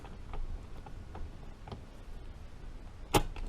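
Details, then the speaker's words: Rebuilt 1953 Harley-Davidson Panhead four-speed transmission, shifted by hand on the bench with the lid on: light ticks, then one crisp clean clunk as the gear drops in; normal gear engagement. "And that's third. You hear it drop in. And then that's fourth. Drops right in nice, shifting beautifully."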